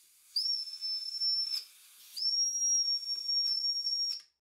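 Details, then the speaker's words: Old Mamod TE1A toy traction engine before rebuild, boiler fed about 10 psi compressed air: steady high shrill whistle that won't shut off, in two long blasts; whistle valve stuck open internally, bush possibly spinning. "because when it puts some compressed air into the boiler the whistle blows all the time so internally it's took as well"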